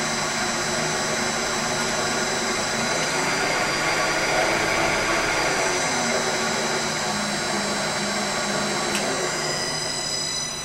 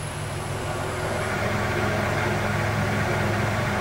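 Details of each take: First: Lathe motor on a VFD with its carrier frequency changed from the default 5 to 1: a loud, harsh whine of several steady high tones over the running motor, worse than before. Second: Lathe motor on a VFD after carrier frequency adjustment: steady low hum, faint high drive whine disappears, quiet run with whine removed.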